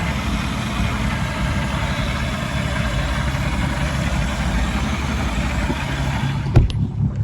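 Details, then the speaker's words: Old-style 4.3 MerCruiser boat engine at 412 hours, after a 10-inch interior water-jacket block crack that caused milky oil was repaired with JB Weld, idling before heading out on the lake: deep, even idle rumble, steady beat, no knocks or misses; runs smoothly. "Sounds good."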